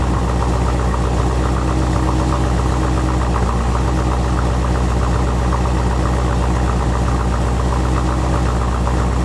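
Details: 1986 Corvette L98 TPI 5.7L V8 idling after cleaning clogged plenum EGR port (for EGR and knock sensor codes, failed emissions): steady low, even smooth rumble, no misses or knocks, settled normal idle.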